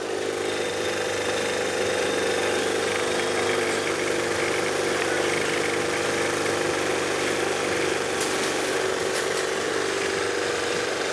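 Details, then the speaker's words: Scooter carburetor idle screw turned up to fix dying at stops: even, fast buzzing idle, rear wheel spinning on its own, holding without dipping or stalling; high idle. "now your body weight your this is idling kind of high right now but if I'm sitting on it it's not gonna go anywhere"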